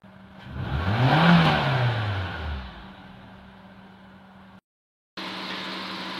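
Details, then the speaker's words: 2014 Nissan Juke after 4-in-1 engine tune-up: engine blips up and falls back cleanly, then settles to a steady even idle without hunting, smooth and normal; normal idle. "suara mesin sudah halus dan RPM idle-nya sudah normal, tidak berebut lagi."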